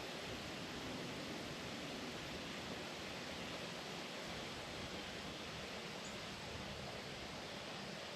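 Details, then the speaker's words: Refilling a 1 lb propane bottle from a larger tank turned upside down: soft, even, steady hiss of gas flowing in, normal until the bottle is full. "Now, as you can probably hear that hissing there, when the hissing stops, then we'll know the bottle is full."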